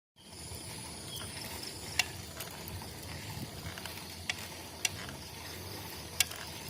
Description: Boardman SLS 9.8 Road Bike Weird Noise